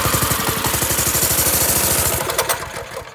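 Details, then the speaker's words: Go-kart engine on a little choke: it chugs quickly and fairly evenly, then stumbles and fades out as soon as the throttle is touched; the owner suspects the pilot jet, later judged clogged again after riding. "As soon as you touch the throttle, it dies."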